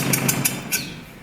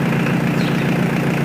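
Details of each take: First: Mitsubishi L200 K74 pickup stored 15 years, revived: idle fine, but revving brings three or four sharp rattling bursts that fade as revs drop; cause never found, never recurred, apparently temporary; abnormal engine noise when revving. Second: Mitsubishi L200 K74 diesel 4x4 stored 15 years, new air and fuel filters and oil change, restarted after an unexplained noise that never recurred; steady, even, unbroken diesel clatter at idle with no misses or knocks; normal idle.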